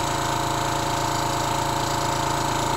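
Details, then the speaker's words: Mantus scuba diving compressor running at 3000 psi, building toward the 3300 psi relief valve opening: a steady, even pumping drone with a fast regular pulse and no knocks or rattles; running normally under high pressure. "so we're gonna run the compressor till it reaches to 3300 psi and the mechanical pressure relief valve is going to open so it's 3000 psi right now"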